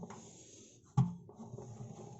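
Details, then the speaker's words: Washing machine on spin: low drum rumble broken by sharp bangs, as if something is stuck inside; noise absent outside spin. "но когда вот она начинает на отжиме работают что-то там я мешает"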